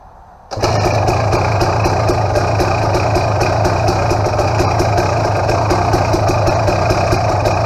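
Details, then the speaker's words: KTM XCW300 two-stroke, restarted warm after about five minutes of riding: it catches at once and settles into a crisp, steady idle with an even crackle; it runs well. "Anyway, I thought I'd start it up again after it's been running for 5 minutes or so that way you can see it there."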